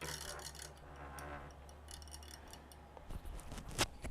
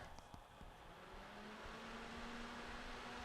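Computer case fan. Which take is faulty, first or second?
first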